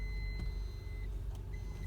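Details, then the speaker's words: 2014 Honda Odyssey in reverse, brake released: steady high chime, about one second on, half a second off, over a quiet idle; cause unconfirmed. "I'm doing the reverse from the way I'm stepping on the brake and once I release it listen carefully there's a beeping sound"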